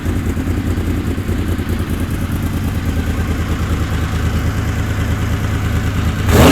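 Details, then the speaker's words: Honda VFR750 after carburetor work addressing a lean flat spot at light throttle and higher rpm: 40 jets (stock 38), carbs refilled. Smooth, even revs climb cleanly and pick up quicker with no stumble; sounds healthy. "sounds like she's picking up quicker"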